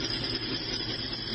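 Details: New kitchen range hood fan running: steady harsh gritty roar with no rhythm, heavy in the hiss range, like grinding on glass; grinding noise, cause unclear.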